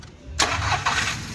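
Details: VW Polo 3-cylinder petrol after misfire and timing repair: brief crank, then the engine catches cleanly and settles into a steady idle with no stumbling.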